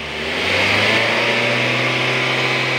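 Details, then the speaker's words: Nissan X-Trail engine revved after fitting a new alternator pulley to cure engine noise: climbs smoothly and settles, no squeal or chirp from belt drive; sounds healthy. "So yun guys, nakabitan natin yung alternator pulley. Obserbahan natin kung iingay pa rin."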